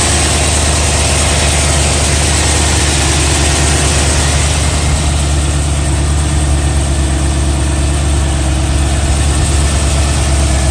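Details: BMW E92 M3 with S65 V8, 65,600 miles, oil changed one month/300 miles ago. Steady deep idle with a fast, light constant ticking on top. The tick developed cold and is quieter when warm but still present; cause unknown.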